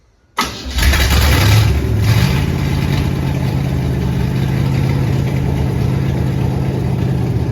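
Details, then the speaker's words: Crosley hot rod's first start in 20 years: after a no-spark attempt it cranks briefly, catches and settles into a steady, even idle with no knocks or misses. It runs great, but the loose fan belt slips because the water pump is locked up. "oh that thing runs great"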